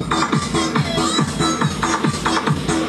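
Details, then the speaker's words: JOSON amplifier with one channel distorting: the good channel plays music clean and steady on a firm beat, with no crackle, buzz or dropouts; this channel works properly. "Samantalang dito sa kabila, okay po ang tunog nyo."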